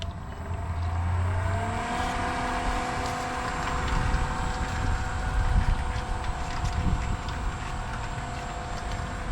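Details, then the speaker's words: New Black & Decker variable-speed inground pool pump, replacing a worn Pentair single-speed pump, running on speed 3: very quiet, steady low hum with faint even whine settling after brief ramp-up; normal running. "Again, very quiet."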